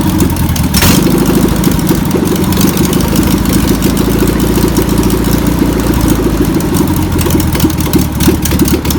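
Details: Old VW pressed-bumper-panel bus engine, sat over 50 years, fuel pump suspected bad: after a short cranking burst it catches into a fast, slightly lumpy putter that holds steady; engine runs.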